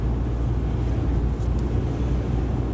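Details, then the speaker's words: 2009 Subaru Outback after front wheel bearing hub replacement, road test: only low even road rumble, no hum or growl; earlier noise at 45–50+ mph, gone over 55, caused by very loose bearing, now quiet. "I'm not getting that strange noise that noise was around 45 to 50 plus miles an hour and then it went away over over 55"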